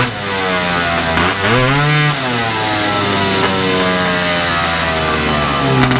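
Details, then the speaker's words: Big-bore stroker 277 two-stroke run at full throttle for the first time after a PTO-side seal fix, around minus 30 outside: pitch climbs then levels off at about 8,800 rpm, roughly 700 short of the pipe's powerband; clutch setup probably needs changing. "I think I need to change the clutch setup a little bit because I don't think it's running at right rpm yet"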